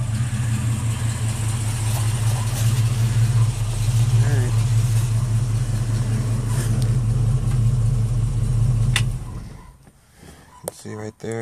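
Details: 1968 Ford Mustang, rebuilt 302 V8, Edelbrock 500cfm carb, headers, Cherry Bomb Vortex dual exhaust, cold day, no exhaust smoke; deep steady idle with even lope, no knocks, ticks or misses, healthy.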